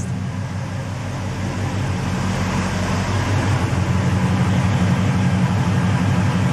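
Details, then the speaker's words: 1974 Chevy Nova V8 at startup with a new Pypes Race Pro 14-inch muffler exhaust and 3.5-inch polished stainless tips: a deep, steady, quiet idle rumble with an even beat and no misses or ticks. Normal idle. "The startup, it was nice and quiet like I wanted it, and it still has that rumble."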